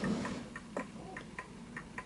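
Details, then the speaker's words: Smiths Enfield oak pendulum mantel clock deliberately set on an uneven surface: faint, unevenly spaced tick and tock, slightly off centre, then it halts; clock out of beat. "that sound, it's a little bit off center, and it has come to a halt."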